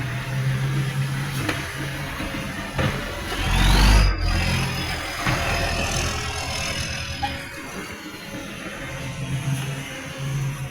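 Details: Garbage truck 3218 with a massive exhaust leak: a loud, raspy diesel with a chuffing bark that swells as it revs.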